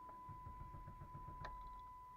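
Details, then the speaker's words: 1998 Dodge Intrepid on a warm day: fuel pump heard priming, then steady starter cranking with a faint pump whine. The engine stumbles without firing on the first try; it starts harder when cold, about 12 tries. Hard start. "not getting anything the first time you're now trying to stumble there's kind of a warm day so it's actually doing a little better today but you're at stumbling"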